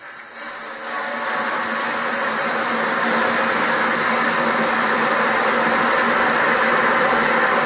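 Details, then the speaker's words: Purcell Mountain Lodge hydro Pelton turbine generator restarting after low-power check (owner suspects ice, debris, dirt or air in nozzle); valve opened through deflector, 7.7 turns full open; rush of water builds into steady hiss as turbine comes up to speed; normal start-up. "This is starting to turn. Watch it."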